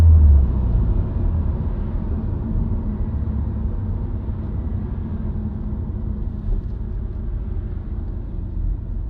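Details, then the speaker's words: Subaru WRX, recorded inside the cabin while driving: low buzzing/droning hum under road rumble that rises with road speed and stays the same with clutch in and out of gear, not rev-dependent. Dealer-diagnosed broken centre-diff viscous coupler, recorded before repair. "The interior of a car with a broken viscous coupler. Can you hear that little buzzing noise? It'll speed up and get higher pitch as I go faster."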